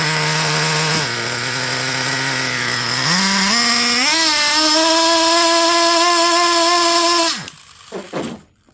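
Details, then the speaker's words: Traxxas Revo 3.3 nitro engine with the high-speed needle turned out two turns: at wide open throttle the buzz climbs hesitantly, with excessive smoke, then dies. High-speed needle too rich, bogging. "Well, Prime example of what can happen when you're too rich on your high-speed needle."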